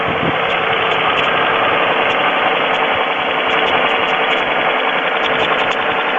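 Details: 3.4L GM engine in a Pontiac at steady idle with a light, uneven tapping, about three or four per second; oil level is full, the noise later stops completely, and the owner suspects piston slap, unconfirmed.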